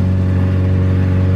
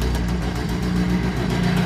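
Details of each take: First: Honda CRX with new intake manifold and injectors, in limp mode capped at 3,000 rpm, driving at very light throttle: steady drone, no stumbles or pops; drives cleanly, unlike previous injector setup. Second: Honda CRX with new intake manifold, no ECU chip, check-engine light on, warming up at idle: fast light ticking following firing rhythm from a cracked exhaust header runner.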